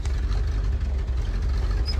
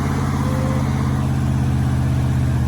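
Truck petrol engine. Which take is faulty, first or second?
first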